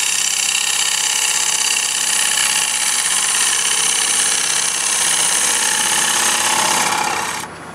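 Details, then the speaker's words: Woodturning lathe, poplar block being hollowed into a bowl with a sharp gouge using a push cut riding the bevel; steady, even hiss of shearing wood with no chatter or catches, a clean smooth cut without tearing. "which tells you that I've got a good smooth tug and I've got no tear which means my tool is sharp"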